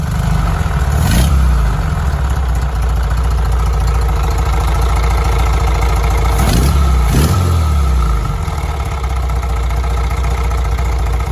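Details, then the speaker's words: Air-cooled VW engine running with the vehicle raised: steady low knocking rattle under the exhaust while idling and revving, coming from behind the oil pump; suspected camshaft noise, not confirmed, could be simpler. Engine knock. "so we ran it with the car up like this and that noise that you heard is coming from right here it sounds honestly like camshaft noise um and it's coming from right behind that oil pump in here"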